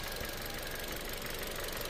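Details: Car that stalled while driving, coolant found low; refilled and warming up: steady even idle with fine regular patter, no misses or surging; normal idle.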